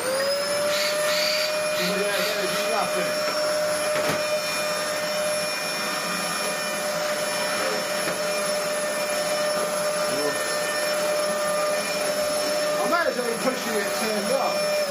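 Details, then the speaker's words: Heavily used Dyson DC04 upright, as received before refurb: steady high motor whine with a thin muted airflow note and no real pull; loss of suction. "it well there we go that feels exactly the same it's just a lot quieter oh dear this thing this thing has no suction"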